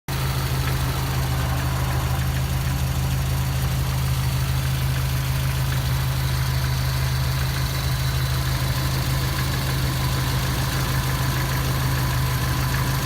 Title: Стук двигателя